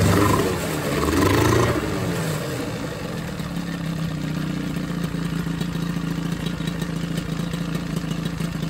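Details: Johnson 9.9 outboard after carb rebuild and new spark plugs: steady, even low putter at idle with no misses, knocks or rattles, smooth and quiet; normal idle.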